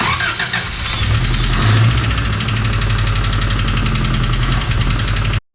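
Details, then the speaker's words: Engine in the Subaru Brat after broken water pump bolt work, started after oil was pumped out with the oil filter left off; fast even knocking over idle from the bottom end, suspected rods; engine knocking. "Well, let's see what it sounds like when the rods ain't knocking."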